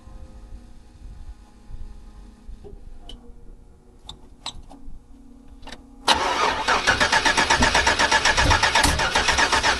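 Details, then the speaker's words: 1979 Buick Regal with a swapped LS 6.0 V8, exhaust just finished, weak battery: quiet cranking then fires into a loud, choppy idle pulsing about four times a second, lope of a big cam. "Y'all hear it? Mount cam. You got a mount cam in, y'all."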